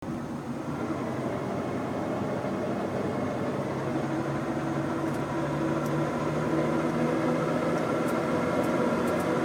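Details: Mitsubishi Eclipse GSX: faint rough grinding under the engine as the car accelerates, pitch climbing slightly with speed. Slight grinding noise on acceleration.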